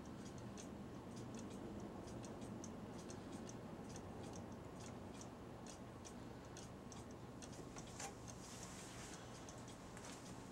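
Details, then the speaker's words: Cuckoo clock ticking evenly at about two beats a second, then stopping suddenly with a thump. Hair or debris in the mechanism is suspected of catching the gears. "do you see that it just stopped all of a sudden just like that it was running fine okay it was running fine then all of a sudden boom it stopped"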